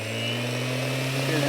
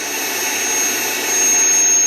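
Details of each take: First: Old random orbital sander, not the new Hueborly 5.0 knockoff, running at top speed, steady motor hum with low drone and faint high whine; louder than new one and slow to wind down; normal. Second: Hueborly 5.0 budget sander on a stiff vacuum hose with a 3D-printed connector: steady piercing high squeal while running, stopping when it stops; owner suspects the vacuum or hose airflow, adapters haven't cured it; high-pitched squeal.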